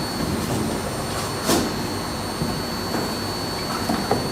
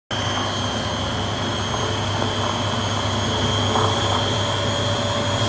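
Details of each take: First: Beko D5 7101 washing machine with plastic tub, after drum bearing and seal replacement: steady, even whir through the spin with no rumble, grinding or knocking; drum bearings run smooth and healthy. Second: Beko D5 7101 washing machine with plastic tub, before bearing and seal replacement: loud continuous roar with a steady high ring through the spin, the drone of worn drum bearings needing replacement.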